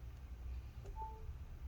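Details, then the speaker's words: 2017 13" MacBook Pro A1708 after battery/keyboard/palmrest replacement, plugged in after the battery was disconnected; among faint clicks a brief soft charging tone sounds as the charger connects, charging normally. "Hear the charging sound, and there you go. So it should be good to go."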